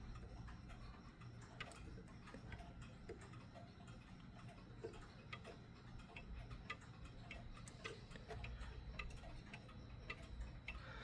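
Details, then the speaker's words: Mechanical clock now in beat after the crutch was nudged back and forth: quiet, evenly spaced tick-tock with equal gaps; an out-of-beat tick would affect the workings of the clock. "And now it's in beat. So you basically do that however many times back and forth until you hear a nice even Tik Tok and not a and and not a offbeat Tik Tok."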